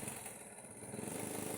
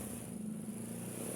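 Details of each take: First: Honda Supra Fit motorcycle that runs but won't move: the small single runs steady, but at full throttle the rpm barely climbs and stays stuck low. The cause is in the engine area, and the engine won't rev because of a worn cam gear. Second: Honda Supra motorcycle engine after rebuild, previously would not rev when throttled; exhaust no longer smoking and oil now reaching the head, steady even note with smooth low drone and no knocks or misses, running normally before exhaust refitted.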